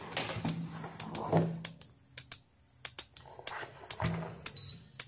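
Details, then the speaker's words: S-500-12 12V 40A 500W industrial half-bridge SMPS (KA7500/TL494), powered through a series bulb; irregular ticking about three a second with hum and whistle, output fluctuating 17–20V and unregulated, fan seized. "นี่คือเงื่อนไขว่ามันมีเสียงติ๊กๆติ๊กๆเสียงหึ่งๆบ้างและมันก็ผันผวนเช่นกัน"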